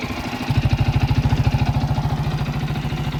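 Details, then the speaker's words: Viper Active motorcycle engine after fixing a knock caused by broken dampers: crisp even exhaust pulses at steady idle, about fourteen per second, no knock or rattle; almost like new, normal idle. "Почти как новый."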